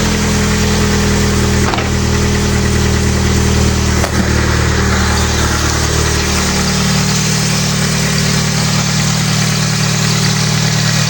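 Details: Mitsubishi engine after alternator bracket repair, alternator aligned with the harmonic balancer: catches and settles into a steady, even idle with no knocks, squeals or belt chirp; normal idle.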